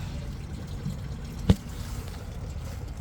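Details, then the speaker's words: Engine with the valve cover off, water found in the crankcase: low steady trickle with one sharp tap as coolant runs out where a freeze plug blew out, likely after freezing, not a head gasket or cracked head. "freeze plug. Freeze plug popped out. Probably had too much water. It froze here last week and it probably blew the freeze plug out."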